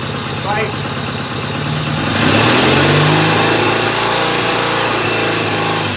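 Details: 1972 Norton Commando Combat twin after new 3-phase rotor and stator install and cleaned clutch plates: even idle, quick blip near two seconds settling back, light rattle on top attributed to the stator; sounds healthy.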